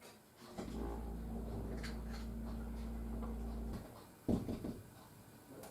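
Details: Sump pump, probably 10+ years old, in a low ranch-house basement, heard from upstairs: low hum about three seconds, then a sharp thud in the pipe at shut-off; owner suspects a faulty, worn check valve.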